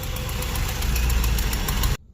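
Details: Corvette engine rebuilt two years ago, under 100 miles since: heavy lumpy idle with uneven low thump; cylinder 3 misfire persists after cleaning cap and points and moving plug; distributor suspected, compression unchecked.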